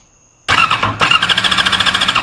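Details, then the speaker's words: 2001 Yamaha R6 four-cylinder with charged battery, fuel pump priming, kill switch on: starter whirs with quick steady churning for two seconds, no cylinder fires; cranks without starting, spark test shows no spark on any coil. "I can hold it I would be getting hit uh pretty hard right now if that was working correctly so we have no spork"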